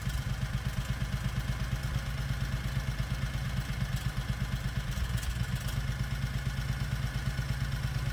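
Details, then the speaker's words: 670cc Predator engine in a 1969 Renault R10 with dual 24mm OKO carbs: below 950 RPM the compression release engages, idle turns lumpy and choppy, stumbles and will eventually stall; stumbling idle from compression release. "once you go below 950 RPM the compression relief Gizmo kicks in and the idle gets choppy and the engine will eventually stall here let me show you now listen to the engine and you can hear it stumble that's the compression relief kicking"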